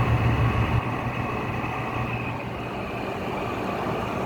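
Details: Goldstar WG5004 window air conditioner on low fan: a coarse continuous grind from noisy fan motor bearings drowns out the otherwise quiet airflow; spin-down time is still good, so the bearings are not completely dry.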